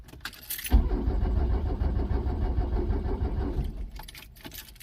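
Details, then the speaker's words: Truck cranked on a JF.EGWO 2000A lithium jump starter with a flat-dead, failed battery: the starter drags the engine slowly and unevenly for about three seconds, then stops without firing. Weak cranking, no start. "The jump starter's doing its job, but the batteries, I got a battery that's just so flat dead. Huh. It's almost wanting to start it even."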